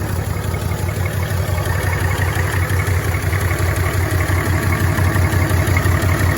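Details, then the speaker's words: 1965 Chevrolet C10 short bed, sitting since 1994, running on fuel poured into the carburetor: steady, even low thrum about three pulses a second, no misses or knocks, smooth as a sewing machine; normal idle. "How in the world can you beat that? I mean, it just runs like a stinking sewing machine."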